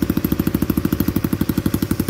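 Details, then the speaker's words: Old Honda Cub 50 engine after restoration, exhaust fitted, idling with crisp even pulses and no knocks or misses; a very smooth healthy idle. "cho anh em cái bô vào để anh em chúng ta nghe con máy cực chất luôn anh em ạ"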